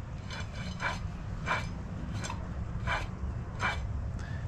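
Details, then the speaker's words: 2005 Sea-Doo RXP with very high hours: jet pump shaft turned by hand gives a rough rasping grind in repeated strokes from a worn pump bearing; wear ring and prop look fine; pump to be rebuilt with new parts. "the prop is the prop looks like it's good but the bearing on the pump listen to that"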